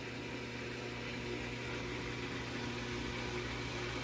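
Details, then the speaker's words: Whirlpool Duet front-load washer, 10+ years old, after drain pump replacement with cover off: even motor hum and steady low drone as the drum starts spinning after draining, no grinding or knocking; the earlier vibration is gone and there are no leaks. "Well, it definitely pumped all the water out, and now we're starting to spin."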